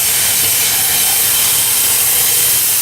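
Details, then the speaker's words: Wood-fired steam boiler, blower valve turned on a little: a steady loud rushing steam hiss with no pulsing, drawing the fire while boiler pressure drops slightly. Normal blower operation. "You can hear it hissing. And what that does is it draws a lot of air into the fire from down below, but of course you're using steam as well."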